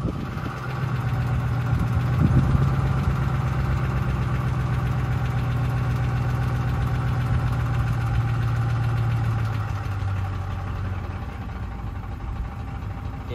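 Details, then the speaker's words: Ford 5.4L 3V Triton on a road test, accelerating past about 900–1200 rpm. An uneven rattling knock fades after a few seconds: cam phaser oscillation, with sloppy phasers jumping back and forth, uncontrolled by the VCT system. "that's phasor oscillation that's the phasers jumping back and forth they're being not being controlled"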